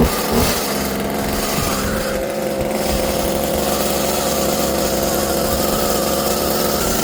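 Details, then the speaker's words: Husqvarna 36 chainsaw two-stroke with a new carburetor, fuel line and filter warming up at a fast, slightly uneven idle that wants to die, before idle screw adjustment. "So it does want to die, it sounds like, while it's just sitting there idling."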